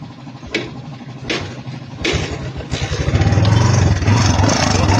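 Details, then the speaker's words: Kawasaki Barako 2 175, said to be noisy and made noisier by a previous repair, already fitted with a new tensioner: engine catches after a few cranking bursts, then loud metallic clatter over idle; mechanic says timing is off. "Minasak. Maingay daw, pinagawa ngayon, lalong umingay, lalong sinira. Pinalitan na ng bagong tensioner."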